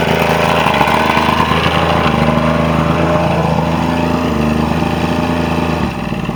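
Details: Quantum Mercury 90 outboard at its final run after a no-start problem: steady, even low-pitched idle with a regular beat and no stumbles until shut down; the outboard idles normally.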